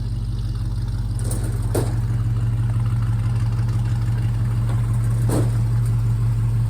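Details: 1956 Chevy pickup V8 with newly fitted Dynomax Super Turbo mufflers, replacing rotted Flowmasters; deep, even, fairly mellow burble with a steady low rumble and a couple of brief blips: normal exhaust note.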